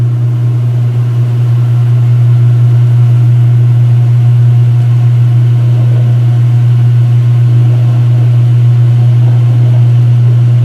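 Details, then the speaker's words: Speed Queen washer washing sheets, low-speed spin: smooth deep constant motor hum resonating strongly, no knocking or grinding; a very good normal low-speed spin, possibly near an older Whirlpool belt-drive's high spin speed. "Yeah, but even with low speed, it's honestly a very good spin."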